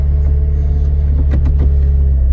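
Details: Toyota Auris, first start after fitting a second-hand gearbox and refilling with SAE 75W GL-4 gear oil: the engine starts and settles into a smooth, even low idle with a steady beat and no knocks or misses.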